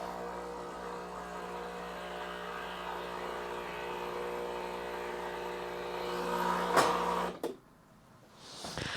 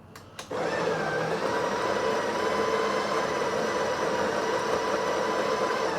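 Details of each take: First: Breville 870XL espresso machine running a two-shot test: steady buzzing pump hum with a slightly uneven edge until shutoff; pump weak and slightly seized, piston moving oddly but still working, replacement recommended. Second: Breville 870XL espresso machine built-in grinder, grind amount set between 7 and 8: a couple of clicks, then steady, even whirring with no rattles or labouring; grinder working properly.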